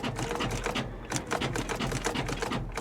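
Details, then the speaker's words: Salvage-auction car, wet: starter clicks in rapid chattering bursts with short pauses, engine won't crank; sometimes seems to try cranking, other times sounds locked. Cause unconfirmed. "this is weird sometimes it sounds like it tries to crank and other times she sounds like she's locked that doesn't sound good guys"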